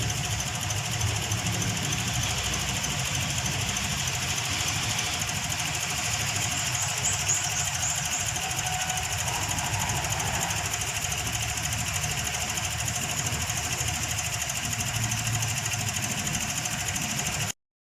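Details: Toyota Vios petrol engine shaking at idle with a loose, irregular thumping beat; rough idle.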